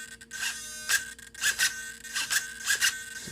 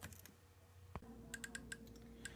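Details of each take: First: Solar D770 low-profile digital metal-gear servo in a car with big tires. Short, sharp bursts of high motor whine, loud but smooth, each snapping back to center quickly with no chatter; normal fast centering. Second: Solar D770 low-profile digital metal-gear servo in an RC10T, with no steering input and no tire load. Faint, irregular sharp ticks, about six a second, as the servo hunts to hold position.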